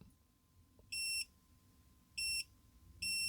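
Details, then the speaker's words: Milwaukee M12 C12DD (2410-20) drill, dead, LED works but motor won't run: three short high continuity beeps as meter probes MOSFET pins, all pins connected; shorted MOSFET on board, three MOSFETs replaced to fix. "So I guess there is something that is not good, as all those pins are connected. That's usually a good sign of failure."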